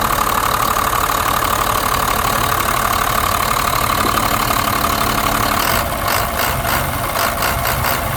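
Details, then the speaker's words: 1991 Blue Bird bus, 5.9 2-valve diesel, after replacing fuel lines and bleeding air from lift pump and injector lines: steady even diesel clatter at idle, no misses or stumbles; running smoothly, sounds healthy. "I don't want to cut the motor off because it sounds so good."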